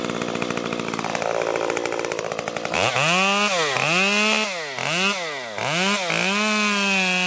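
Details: Stihl MS 194T top-handle chainsaw after muffler mod (inner baffle removed), freshly tuned, cutting a red oak branch: crisp high revs dip and recover each pass without bogging; pulling strongly, normal running under load.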